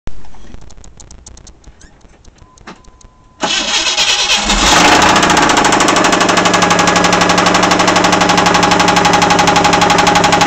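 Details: Car engine cranks, catches and idles with a steady, deep rod knock of roughly four beats a second.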